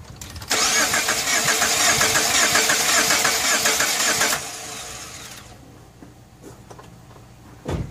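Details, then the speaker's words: Cranking while checking for spark with one coil pack and a fairly new plug pulled, battery on a charger, engine had been running rich: starter turns steadily about four seconds without catching; crank no start, cause unconfirmed. "so let's zoom in on this because i can't see it while i crank it and see if we got sparkage all right let's try it"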